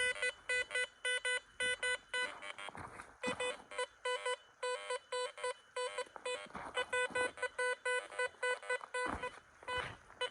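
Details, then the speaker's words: Garrett Vortex metal detector at 18 kHz, deliberately tested right next to an electric power line: sharp repeated beeps with rapid irregular crackle behind them, chattering from electrical interference. "so while I'm doing this test you can hear the chattering in the background of the detector uh I did that on purpose I'm actually literally right next to the electric line just to test to see how susceptible this detector was to electrical interference"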